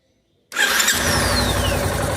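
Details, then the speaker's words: Yamaha Ténéré 250 electric starter after cleaning and reassembly, previously clicking from a loose magnet in the housing: starter engages cleanly, engine catches within a second and runs evenly with no clicking; noise fixed. "maravilha maravilha vamos ir aí ficou perfeita montagem ótimo excelente acabou o problema o barulho tá"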